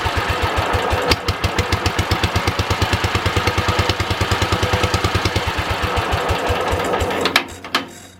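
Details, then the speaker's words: Wisconsin THD twin-cylinder engine at first startup after repair, starter on 200 A engine-start charger: lopsided, uneven chuffing about three beats a second, only one cylinder firing; misfire from stuck exhaust valve. "we had a stuck exhaust valve on this cylinder. I was able to pull the spark plug out and get some oil down the stem and work it up and down."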